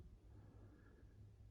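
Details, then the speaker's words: 1979 Casablanca 52" Victorian ceiling fan, K63 motor, cardboard-box variable speed control on lowest setting: quiet steady 60-cycle mains hum typical of K63s, no ticking or scraping; normal motor hum. "it does have the audible 60 cycle hum that k-63s have"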